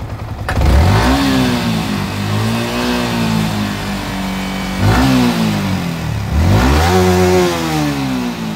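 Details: Yamaha R15 M BS6 single at 27,714 km revved in repeated blips: a light metallic clatter rides over the rise. The chain and sprocket set is badly worn and the timing chain is also noisy.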